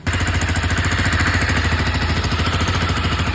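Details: Honda CBR250R at idle: fast, sharp puffing tick about three per second on the idle beat, an exhaust leak at the bend pipe-to-stock muffler joint; refitting and properly joining the bend pipe made it sound normal.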